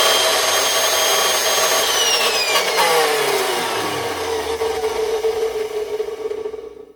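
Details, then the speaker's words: Craftsman 207.25602 circular saw after greasing, winding down from full speed: rough, gritty rattle under the whine, not improved; owner suspects a worn bushing or bearing, and the saw shows several drops. "all right she's plugged in and she runs it sounds like there's a bushing or a bearing it sounds like there's a bushing that's malfunctioning on it"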